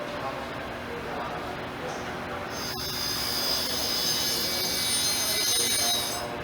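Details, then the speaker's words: Surface grinder with newly installed wheel being dressed and trued: clean, constant high-pitched ring steady once the wheel touches, no chatter or warble; wheel dressed true, normal ring. "how it's constant do you hear the constant that's what you want to hear"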